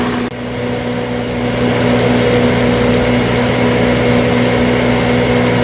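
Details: 20 kW backup generator at a transmitter site, after cleaning and replacing the magnetic pickup speed sensor that regulates fuel: engine settles into an even, steady hum with constant pitch, no hunting or surging; governor holding speed fine.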